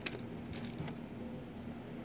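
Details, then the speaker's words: Marchant XL mechanical calculator, previously jammed: a wheel at the back had expanded against the counter, and pieces were broken out. Now the hand crank ratchets and clicks freely with no binding; the mechanism turns, but the first counter position won't count. "okay so I got it moving now"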